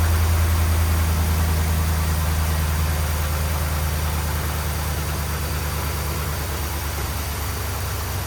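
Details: 2010 Ram 1500 5.7 Hemi V8 with suspected bad grounds and leaking gaskets, just started after fuel priming: even low burble settling into a steady idle, no ticking or stumbling; sounds good.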